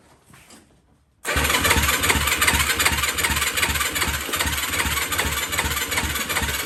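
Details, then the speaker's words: 2004 Yamaha YFZ450 with zero compression on the gauge, after turning down the idle knob tied to the TORS system: hesitant to start, then catches into a slightly uneven loping idle of about two to three beats a second. "why is it not starting now [Music] doesn't sound terrible"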